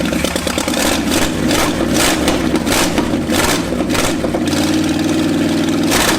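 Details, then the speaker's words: Ford F250 first start in 26 years: surges and stumbles in uneven bursts, won't settle to idle; loose PCV hoses and suspected failed PCV valve thought to cause a massive vacuum leak. "see if that fixes the potential massive vacuum leak that could be causing this to not idle at all"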